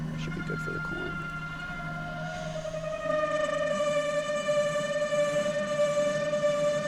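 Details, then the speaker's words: Tormach 8L CNC lathe parting off a thumbscrew second part with extra tool stick-out, RPM and feed slowed; a singing chatter tone rises slightly then holds steady without worsening, judged acceptable to keep cutting: mild parting chatter from excess stick-out. "Sometimes the sound, even if it sounds bad, it's about that sound maintaining. If it doesn't sound like it's getting any worse, even if it sounds a little bit bad at first, if it's not getting worse, it's probably okay for it to keep going."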